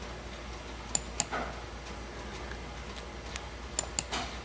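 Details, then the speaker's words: 2018 GM truck 5.3 with code P0446 and difficulty filling the tank, key in Run: the EVAP vent solenoid is commanded on and off by a scan tool, giving paired sharp clicks about three seconds apart in a quiet cab. The solenoid was later replaced. "so I think we're going to try see if that uh it's it's physically clicking you can hear it"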